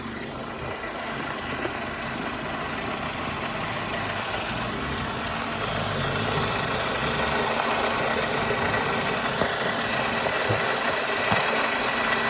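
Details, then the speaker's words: Mercedes SLK R170, warm, revved while checking exhaust after finding a failed central exhaust mount; coarse raspy exhaust note, no air felt escaping. Raspy exhaust note; leak suspected but possibly just normal sports-car sound. "maybe this is just what a sports car sounds like who knows but what I thought was leaking maybe isn't"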